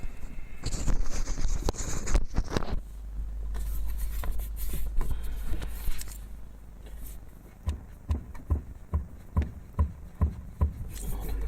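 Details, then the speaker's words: Lada Priora steering rack knock over small bumps: dull single knocks, about two a second, as rack is rocked by hand, mainly right side; owner suspects worn internal bushing and low grease; stabilizer bushings and links not knocking; rack to be disassembled. "Здесь у меня стук появился. Будем разбирать рейку."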